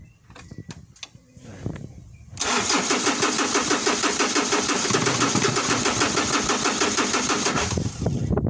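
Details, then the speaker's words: Ford Ranger/Mazda BT50 diesel, WE engine, hard start after dealer-insisted glow plug replacement, battery 12.11–12 volts: steady even cranking about three turns a second for six seconds, never fires; crank no start, cause unconfirmed, battery replacement recommended. "all right as you can see the vehicle cranks but like it I want to start but it's not"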